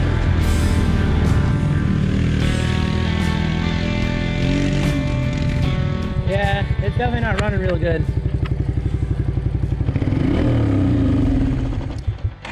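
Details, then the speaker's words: 1996 Suzuki King Quad 300 ATV before carburetor rebuild, barely running on fuel from cranking: single-cylinder beat stumbles and hunts, sagging toward dying; dies at full throttle, owner thinks it gets more air than gas; rough running idle. "so now sounds pretty good it's starting to slow down i might die yeah"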